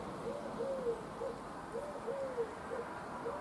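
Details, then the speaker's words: New 25cc petrol strimmer, priming before first start: soft wavering whistles about once a second as the primer bulb is pressed, just air drawn through before fuel arrives; normal. "the first few times if you hear it whistling, it's just pulling air, and then once it starts sucking, oh, here we go."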